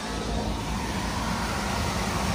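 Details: Three-phase HVAC blower motor after both damaged contactors were replaced, running in unit test mode. A steady, even whoosh with a low hum and no knocks, rubs or surging; the motor runs smoothly at normal speed on all three phases.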